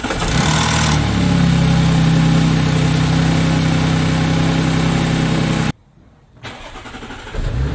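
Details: Audi 3.0 TFSI supercharged V6 (A7) cold start: the engine cranks and catches, then a fast metallic timing chain rattle runs over the idle for several seconds. Loss of hydraulic pressure in one or more chain tensioners is believed to be the cause.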